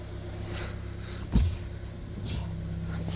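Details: US-market Ford Escape that suddenly stopped starting (ECU relay clicking, ECU fuse blowing, no scanner link to the engine ECU) started and running; low, even engine rumble with one brief thump midway, runs smoothly, normal.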